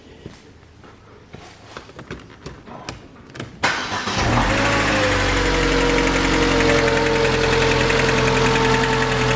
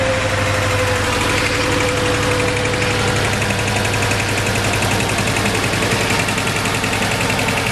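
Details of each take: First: 2006 Mercedes A150 W169 after bypassing the open-circuit wiring to cylinder 4 injector: starter cranks, engine catches and settles into a steady, even idle with no stumbles; misfire gone. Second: 2006 Mercedes A150 (W169) four-cylinder idling with uneven lumpy pulse and dropped beats; cylinder 4 misfire despite spark, fuel and compression, traced to injector 4 open circuit, fixed by bypassing injector wiring.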